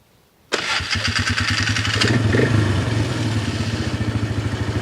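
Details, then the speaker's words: Polaris Magnum 325 single-cylinder ATV, after the fix for lean fuel starvation, thought to be air drawn around a filter missing its lock ring and cured by the correct air filter and airbox lid. Starts first crank into a steady, even idle with no popping or misses. "Runs good. So what did we do ultimately to fix this thing? At the end of the day, I think it ended up just being the correct air filter and the airbox lid."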